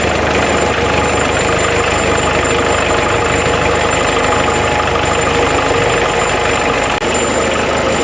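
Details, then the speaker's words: Old Thwaites Mach 073 All Drive dumper, believed Perkins 100 series diesel, due a clutch job: steady clattery four-cylinder diesel idle with a constant even rattle and no misses, shaking rust loose but running as it should. "Yeah, it's definitely a diesel. see everything shaking, the whole thing's just, it's actually shaking the rust loose from that."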